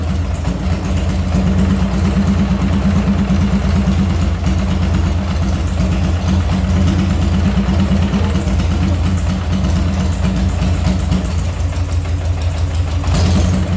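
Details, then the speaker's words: Chicco Jerikho's twin-cylinder motorcycle, just started after its electrical rebuild: a loping, unsteady idle with one beat of each pair soft, one cylinder firing weakly, and teardown found a faulty module as the cause. "Harusnya kan dua tuh, taktuk, ternyata dia cuma satu gitu. Cuman yang kedua tuh agak-agak lemah gitu. Ya udah, akhirnya kita cek, kita bongkar, ternyata modul nih."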